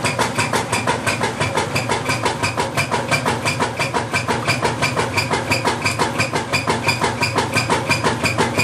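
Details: Whirlpool LSQ9200LQ0 washing machine during agitate cycle: loud rhythmic knocking thump about three per second with each agitator stroke; cause unknown.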